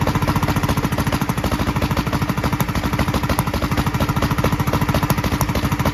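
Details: 1943 Gravely Model L single-cylinder on rebuilt magneto and borrowed 1955 L carburetor with its settings; uneven lumpy chug about three beats/s, popping from carburetor and exhaust; valve lapping and lash check planned. Rough running with popping.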